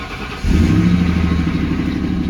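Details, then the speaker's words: Salvage-title Mustang started up: brief crank then a fast raised idle that doesn't drop; idle varies between the wanted 800 and about 2,500 rpm, cause not yet found: high idle. "it has a very high idle um the idle will sometimes it ends up being like the 800 that we want sometimes it ends up being 2500"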